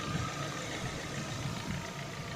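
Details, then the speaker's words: Warm idle on a Lada Vesta at 70,000 km: steady, even and smooth with no ticking or knocking, and the belt doesn't chirp. The cold-start piston knock is gone once warm; owner wonders whether oil, filter or worn pistons are to blame. "а теперь двигатель прогрет обороты как работает двигатель на горячее и ремень не шуршит и"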